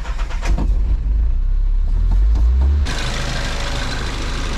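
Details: Nissan 300ZX Z32 after fuel line rework, fuel pump plugged in and no leaks: a few seconds of low cranking, then catches cleanly around three seconds in and settles into a steady idle; starts fine.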